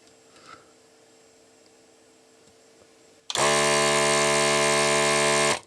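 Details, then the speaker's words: ZD-915 desoldering station (Atronic-branded) after fan replacement, supply adjusted to 12.8 V, slightly faster than before; small pump starts with a steady, even buzz and runs smoothly before stopping; motor expected to handle it fine; normal running. "12.8 I'm going to leave it at that sounds a bit faster than what what we had before and the motor is probably going to take it fine"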